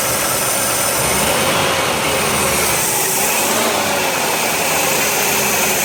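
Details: 1990 Oldsmobile Cutlass Supreme running with a steady, unchanging airy hiss over the engine; vacuum leak.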